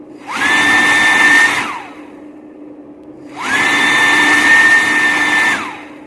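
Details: Servo tester module with potentiometer replaced by micro switch, servo motor: two bursts of smooth steady high whine, running only while button pressed and stopping cleanly on release; normal running.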